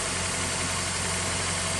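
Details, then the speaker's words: 1999 Honda Accord, first start after sitting about four years: steady, even idle with smooth hum, no knocks, misses or ticks; running cleanly. "sounds good though let's do a little walk around all right guys there we go she's running"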